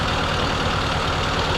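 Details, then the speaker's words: 1952 Willys M38A1 Jeep after rebuilt carburetor install, idle being set by turning the distributor while aiming for about 700 rpm: even, low steady chug with no knocks or skips, normal idle. "I don't know what 700 sounds like. I don't know. That kind of sounds good right there."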